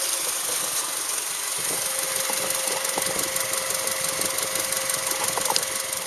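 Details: Subaru Outback with damaged EJ253 (EJ25) boxer engine, recorded before repair: fast metallic ticking and knocking over a hissy idle, about three per second, from a badly worn engine; cause suspected, not confirmed.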